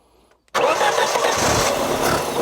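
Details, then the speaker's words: Classic one-owner Saab barn find, stored 32 years, first start with petrol fed to it: after a brief crank it catches at once and runs steady and even with no misfires. Normal start. "That hasn't run since it was put in the barn."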